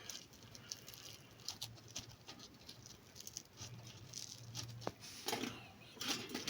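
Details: After the inverter fed by a single 450 W solar panel is switched off, the hot toaster gives faint, irregular light ticks and pings in a quiet room as its metal cools; this is normal.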